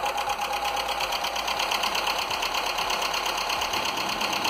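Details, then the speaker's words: Skoda (probably Fabia) 1.4 16V (BKY) petrol, first start after a rebuild with used pistons and oil poured on them; light, rapid, even tapping over the running engine; piston slap still present, which may quiet as it runs in. "Troszkę stuka jeszcze. Ale tak trochę klepie. Może się rozchodzi. A może i nie."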